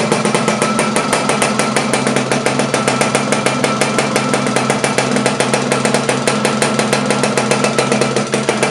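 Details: Laverda LB 125 with Zündapp KS 125 WC two-stroke engine, first starts after rebuild: crisp, rapid popping in a steady rhythm with no misses or knocks. Clean, normal running.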